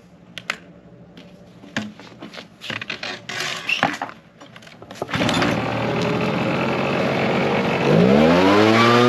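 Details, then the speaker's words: Small two-stroke blower after repair: after some handling clatter it settles into a steady buzz, then revs up cleanly with a rising pitch. Normal running. "so anyways it runs fine we're good to go on that one"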